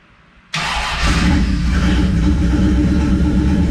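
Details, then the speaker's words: 1969 Plymouth Valiant, stock 360 Magnum with GT45 turbo and FiTech EFI, new heads after blown head: cold start catches within a second, brief rev flare, then steady even V8 idle with no misfire or ticking. "the cold starts on that efi is awesome seems happy"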